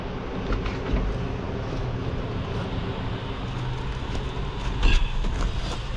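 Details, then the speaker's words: Hyundai H100 with D4BB diesel that stalled after driving through floodwater; water was cranked out through the heater plug holes and the oil changed. At idle it runs loud and rough with heavy clatter and shaking, and white smoke. Cause not yet found. "Pakinggan natin kung gaano kaingay. Yan o. Tapos nanginginig."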